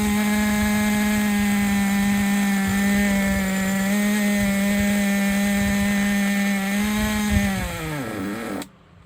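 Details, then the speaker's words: Traxxas Nitro 4-Tec 2.5 RC car nitro engine after loosening over-tight brakes: steady high-pitched buzz at constant revs, smooth and even, then dropping off at shutdown; running clean. "It was the freaking brakes. Running a lot better now. I can't believe that."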